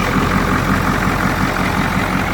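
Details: Ford F250 with 7.3 IDI diesel, hotwired from under the hood (fuel shutoff solenoid jumped, glow plugs cycled, starter solenoid arced): steady diesel idle with even clatter, no misses or surging; engine running normally.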